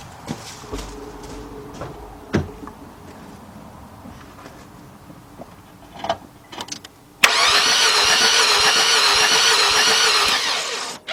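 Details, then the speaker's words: 2003 Nissan Altima 2.5 cranks-no-start, compression test on cylinder 4: after rattling, starter spins fast and perfectly even, about four beats a second with no loaded pulses; no compression on all cylinders. "All right, we got no compression on all cylinders."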